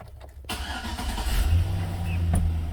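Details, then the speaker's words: 2006 Chevy Silverado, towed in with no start after the owner installed door speakers; the fault was a missing fuse. With the fuse replaced, a brief crank, then the V8 catches cleanly and settles into a steady low rumble, starting and running normally. "starts and runs let's see if we can communicate now"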